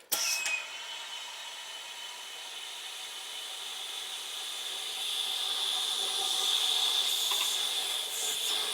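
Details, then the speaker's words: Test boiler pressurised with air: a steady high hiss with a thin whistle, growing stronger, from two leaking tubes (flues), before they are plugged. "I'm going to put the air in it so you can hear it so you can hear it piston piston or hissing whatever you want to call it piston hissing whatever"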